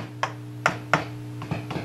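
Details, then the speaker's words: Marshall model 5210 circuit-board guitar amp powered up before repair: steady low mains hum under irregular crackles and pops. The complaint was noise, squeals and low volume, traced to cold solder joints and a damaged input jack. "doesn't that sound lovely it does have some low level hum a lot of"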